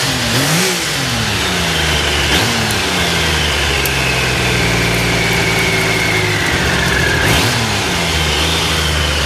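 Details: Triumph Sprint 900 triple revving: crisp, even exhaust note climbs cleanly with each throttle blip and drops back smoothly; normal, healthy exhaust sound.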